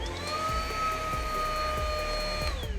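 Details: Riccar R27CV cordless upright vacuum running after its lifetime-belt protection shut it off (red light) and it was reset by switching off and on: a steady, even motor whine with no stutter or rattle; normal.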